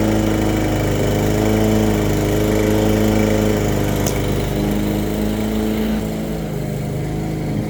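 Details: Brand-new push mower after diagnosing and rebuilding its plastic carburetor (thermal automatic choke, spark plug gapped at 0.030 in, oil checked): the small engine holds a steady, even drone with no misses or surging. Normal running.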